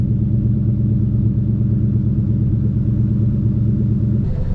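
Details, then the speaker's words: Red Mustang V8 after cleaning the air filter and MAP sensor: deep, even idle rumble with steady low burble and no pops; previously choppy popping idle, unclear whether the cleaning or driving fixed it. "I don't know if it was that that fixed it or just driving a little bit fixed it but it sounds really smooth now the Idols are real smooth"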